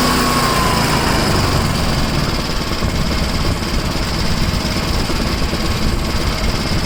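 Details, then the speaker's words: Tecumseh-engined snow blower started after sitting 10 months, choke on and throttle up, fitted with a new adjustable-mixture carburetor left unadjusted. The single-cylinder holds a steady, even buzz at high speed, no misses or surging. Runs good. "I'm just going to leave it alone. It seems to be alright. High speed. Runs good for a Tecumseh."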